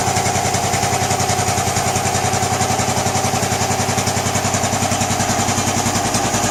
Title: Bullet 500 iron cast thumping sound